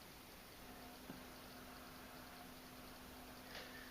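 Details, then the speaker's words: Magnetic levitation floating light-bulb desk lamp, recorded about a foot away: faint steady low-pitched hum from the levitation coil in the base, heard only when the bulb is levitating and gone when it is removed. "It's kind of like a low pitched I'm not going to say grinding noise. It's kind of a type noise. So when I take the bulb off, the noise goes away. When I put it on, it comes back."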